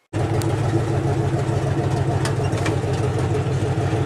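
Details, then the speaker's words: 1978 GMC K25, first start after years sitting: deep, slightly uneven idle with loose chuffing exhaust note; only one header hooked up, exhaust leaking at the open header. "also part of the reason why this thing sounds like a dying tractor is it has one header hooked up"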